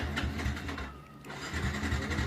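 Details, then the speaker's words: Yamaha Vixion after repairing the fuel pump, which let petrol flow nonstop and caused bogging and sputtering on throttle: the engine catches quickly and settles into a steady, even beat with no sputter, revs cleanly; normal start. "nah teman-teman motornya sudah langsung jos ya bisa langsung di blayer-bayer bisa langsung digas tuh"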